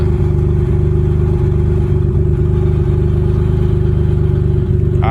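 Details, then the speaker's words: 1994 Dodge Stealth R/T twin turbo project: loud, deep idle with a raspy puffing beat about three to four times a second; horrible exhaust leak. "so this is a stealth and that exhaust leak is horrible but uh that actually sounds like the uh"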